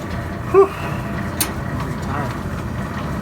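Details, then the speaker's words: Maytag LDG312 gas dryer after replacing gas valve ignition solenoid coils (heat previously wouldn't stay on): steady low drum rumble with one light click, burner lights and holds on without hesitation; normal running. "heat turns on right that bad boy should just stay on for a few minutes"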